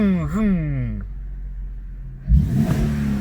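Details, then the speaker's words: Infiniti/Nissan with VVEL, previously misfiring on cylinder 3 after bad valve adjustment; after valve re-adjustment, throttle blip rises and falls cleanly, smooth restart, no ticking from top end, not yet re-adapted or VVEL-tuned: normal engine rev. "Зібрали, перерегулювали. Послухайте, як працює. Тихенько не цокотить нічого."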